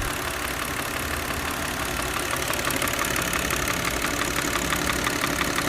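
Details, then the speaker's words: Older Audi C6 2.4 petrol idling with a steady, rhythmic "dang-dang" knock about three times a second from the intake manifold, a known common fault; it stops when the vacuum line is disconnected and returns when reconnected. "就是这个异响，当当当当当，特别有频率的这个异响。今天我教大家怎么解决这个异响，这是一款吸溜的通病，是这个进气道异响。"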